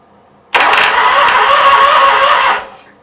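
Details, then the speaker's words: Briggs & Stratton Vanguard small engine, oil checked at full mark, governor linkage not hooked up, first crank test: short two-second even, steady churn with no knocks or grinding; normal cranking. "Alright, I'm just going to touch it, see if it cranks over. Shouldn't do anything too crazy."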